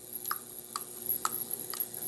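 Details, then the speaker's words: Fuel injectors in an ultrasonic cleaning bath with injector cleaner, the machine applying a single pulse: crisp, evenly spaced ticks about twice a second over a faint high hiss; the injectors are pulsing normally. "as you can hear now the ultrasonic is working it's applying at one single pulse"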